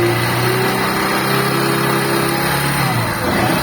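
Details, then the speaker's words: Motorcycle engine with a suspected bad bearing-like noise, stator connector unplugged: engine idles evenly with a steady hum, the whirring noise disappears, returning when reconnected, pointing to the stator circuit. "Desconecta aí o conector do estator, vai. Cadê o barulho, pessoal?"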